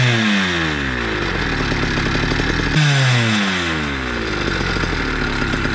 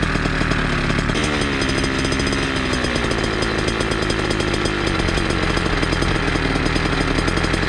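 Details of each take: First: Motorized bicycle two-stroke with a cheap chainsaw pumper carb being tuned: revs keep sagging and burbling, then climb back in uneven bursts with four-stroking stutter; running rich, with sputtering, RPM dropping fast then recovering, risk of stalling. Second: Small two-stroke chainsaw-style pumper carb on a motorized bicycle, tuned from low screw 1 turn and high 2 turns out, idle adjusted down after running high: fast, buzzy idle holds steady without surging or dying; idle setting fine.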